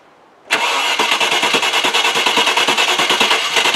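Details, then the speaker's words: Range Rover after fuel pump replacement, fuel pressure now correct at about 35 with relief valve working: starter churns steadily about three beats a second and never catches. "so we got fuel pressure now the bloody thing won't start what is going on with this thing"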